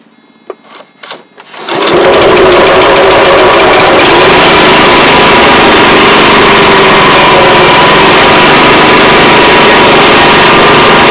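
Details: Honda Harmony 215 mower engine, after sitting outside for years and a carb cleaning, catches after a few pulls and holds a steady, even buzz with no misses; running properly.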